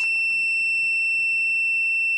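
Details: KROAK S300 1200A supercapacitor jump starter: shrill, steady electronic tone with no engine running. This is the countdown alarm before cranking.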